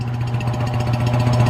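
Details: Rebuilt mid-1940s Surge milking vacuum pump, new electric motor, fresh oil, first run: steady low hum with quick even piston thumps, no knocking or squeal; building vacuum, running smoothly.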